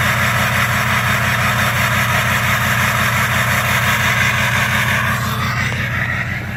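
Idle pulses unevenly with a slightly loping beat instead of a smooth hum, a rough idle that could be a misfire. Cause suspected, not confirmed.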